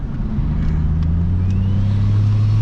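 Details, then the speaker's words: Ford Fairlane (auto) after swapping out a Wuhan turbo that had started going bang, running about 15 psi; car ran poorly before: steady low drone with faint rising turbo whistle under light throttle, smooth and even. Normal cruise. "so finally now it should be actually alright it's off its head"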